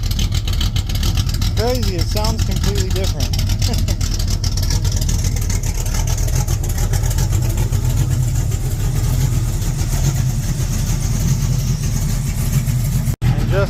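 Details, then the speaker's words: 1967 El Camino small-block Chevy 355 with Vortec heads and a big cam, fired up with the valve cover on after the PRW 1.5 roller rocker install. Deep, even V8 idle with no valvetrain clatter or rocker hitting; it sounds smoother and less choppy. "Let's fire it up and see if it rattles or anything. I don't hear any hitting. That was pretty good."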